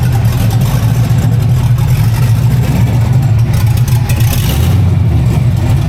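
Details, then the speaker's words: Newly installed used engine in a Model A sedan, first run with no tune: loud, steady low rumble, slightly uneven and unsettled, no knocking; runs poorly without tune, oil pressure good, not noisy. "Well, the tune is well, there is no tune, so it's basically not enjoying itself, but I'm super happy we got that thing all back together."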